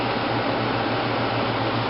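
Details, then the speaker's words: 1995 Fedders window air conditioner, three-speed motor, fan only on low speed: steady low hum with even soft air rush, no rattles or rubbing; normal quiet fan operation. "yeah it's pretty quiet let's go outside and you how the sound now we're outside I don't know if you can hear but she is running it's just the fan only the fan yeah and again the fan only pretty quiet"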